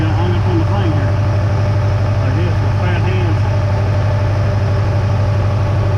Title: rod knock tic tok will it put a hole in the block